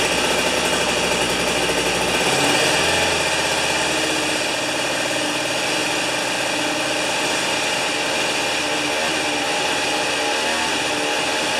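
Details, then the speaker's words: Old two-stroke snow thrower, restored after years sitting, cold-started with ignition on, choke on and 3 primer pumps, mixture set lean-then-slightly-rich the day before: even, buzzy idle, steady without stumbles or misses; healthy. "Now when I set the air mixture yesterday, I leaned it out until it was running absolutely perfectly,"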